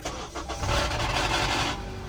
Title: Honda Cold Start Rattle Fix! 2012 - 2014 CRV ( No chain / gear removal )